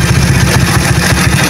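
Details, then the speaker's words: Motorcycle with a PWK racing carburetor just reset, anti-"ngok" setting: starts on the first press and holds a deep, even four-stroke idle with no hissing or sputtering, showing the idle is set correctly; normal idle. "langsam karbu yang pas itu seperti ini tidak terdapat suara ngeses dan suara berebet ya"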